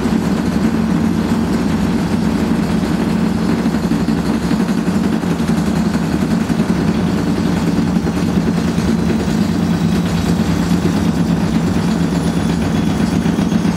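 A loud, constant rumbling roar throughout the spin, far rougher than a normal whirr, typical of badly worn drum bearings.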